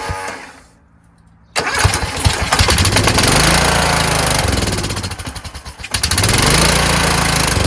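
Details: Kohler Courage engine on a tractor, started on choke after a cylinder head swap, carburetor replacement and valve lash adjustment; it catches, then surges and sags with a ragged beat, still running poorly. Owner suspects the throttle bracket and its return spring.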